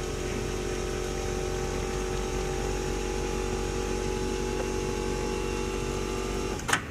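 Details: 1988 Ford Econoline wheelchair-accessible van, side-entry hydraulic lift operated by levers: even, steady pump hum with a constant tone, then a single clunk as the lift stops; pump runs healthy.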